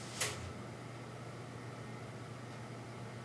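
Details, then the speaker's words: Electric faux fireplace after the fan motor was lifted off the sheet metal on heat-resistant strips placed at its three fasteners: quiet, steady low hum from the motor itself, with no rattle or buzz. "And there's a slight hum, but that's going to come from the motor because the motor just hums. But it's really quiet."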